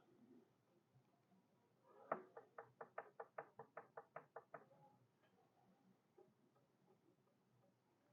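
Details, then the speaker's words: Stationary Kohler K301 engine turned over slowly on its starter: about a dozen sharp, evenly spaced clunks at certain crank positions. The owner suspects excess rod-to-crank clearance; unconfirmed. "so she turns over pretty good now the clunking I don't know if you can hear that or not some places that doesn't do some places it"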